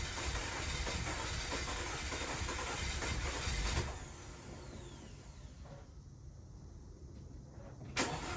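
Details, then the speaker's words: 2012 Audi Q5 2.0T B8, 103,000 miles, severe oil consumption (oil every 100 miles). Restarted with old plugs after chemical decarbonizing treatment: rough, uneven stumbling idle, heavy white smoke and carbon from tailpipe, flashing check engine light; misfire, two cylinders suspected from stuck oil rings. "We got it started. It's idling. It's really rough. A lot of white smoke."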